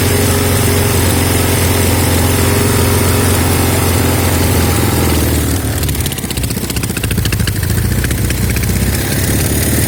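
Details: Norton Commando twin idling with an uneven, stumbling beat that roughens when revved: left cylinder misfire. Carbs, ignition, plugs and cables are ruled out, no air leak at manifolds or head gasket, exhaust tight, some smoke from the left on throttle.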